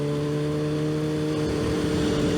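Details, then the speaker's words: Yamaha FZ1 riding after spark plug maintenance on 2-year-old plugs; steady, even engine note at constant pitch with no stumble or surging, bike pulls strongly. "man thing just gets up and goes i mean it did before but you have to be on the right to actually understand what i feel i'm feeling right now"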